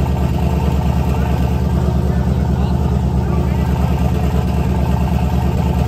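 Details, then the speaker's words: LS turbo V8 in a Chevy S10 truck, true first startup with a short exhaust and smoking. Deep, loud, even idle with steady pulses about three a second. Runs smoothly, just very loud through the short exhaust: healthy idle. "That is loud, dude. That sounds so good. It does sound good. It is so freaking loud."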